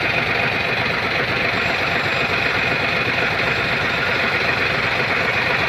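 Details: Hino 700 truck, E13C diesel with low power, rough idle and hard starting; loud idle with slightly uneven chug, about one stumble per second; injector number 5 malfunctioning.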